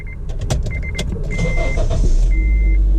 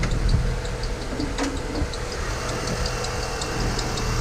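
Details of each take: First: Honda Element VTEC engine starting after aftermarket belt parts were replaced with OEM Honda parts: clicks and a dash chime, then a smooth even run with no belt squeal. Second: Honda Element, 161 on the odometer, running: quick high chirps repeat steadily, worse when hot and on acceleration. A brand-new aftermarket tensioner with an aftermarket belt is slipping.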